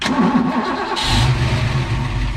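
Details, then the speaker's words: Ford Foxbody hot start: under a second of cranking, then it catches and settles into a steady idle; normal start with slight starter drag, starter possibly getting a little weak. "all right so as you can hear that started fairly normal the car still does drag a little bit that's fairly normal right there"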